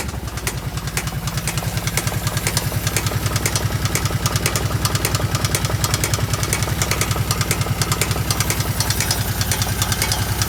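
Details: Kawasaki KVF750 ATV at idle: a loud, very even knocking, roughly 200 a minute, over the idle throughout. It seems to come from the rear cylinder; tappets were checked and are OK. Cause unknown.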